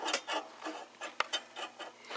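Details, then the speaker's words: Valiant transmitter plate tuning capacitor being turned by hand: dry scratchy scrape about four times a second as one plate rubs another, seemingly from the capacitor on the second, rusty shaft; also arcs near the dip point under power. "sounds like it's coming from the capacitor on the other shaft that went through the the bezel"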